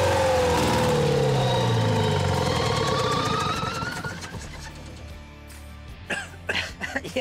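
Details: Champion motor grader with Detroit Diesel, locked up 7 years, freed with Marvel Mystery Oil and refitted with the other filter: loud start settling into a steady, smooth, even beat about four per second; running normally.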